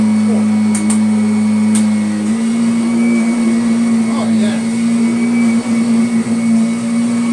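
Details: Kirby Sentria 2 vacuum on carpet after replacing the very slack tech drive belt that caused odd noises: steady motor drone holding one pitch with only a slight dip under load, no slipping or squeal; the self-propel drive runs smoothly.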